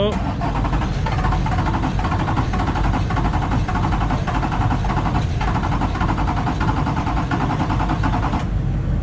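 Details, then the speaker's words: LB7 Duramax diesel, hard start: chugs with uneven surges roughly every half second, never settling to a steady idle; owner suspects a leaking injector or fuel leak, possibly oil. "This thing sounds like it's leaking fuel. There's something over here. I hear it running. It's got an injector leaking over here."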